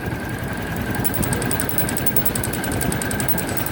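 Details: Motorcycle engine: a sharp, even ticking knock at about eight a second over a steady idle. The engine has been fully disassembled three times without curing the noise; the cause is unconfirmed.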